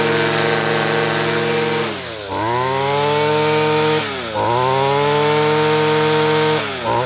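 Small two-stroke buzzes high and steady, dipping and recovering as the throttle is blipped, picking straight back up each time; runs clean.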